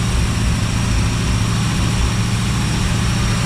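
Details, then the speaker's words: Rebuilt 1955 Chevy V8 at raised idle for cam break-in, about 7 minutes after start: a deep, steady rumble with a faint occasional stumble. The owner suspects the vacuum advance plugged into full vacuum causes a slight plug miss; a slight rear exhaust leak is also heard, likely from reused collector gaskets. "So what I've done, the engine, you can kind of hear it missing. I plugged the vacuum advance into full vacuum, so to try to keep the plugs cleaner while I'm breaking it in."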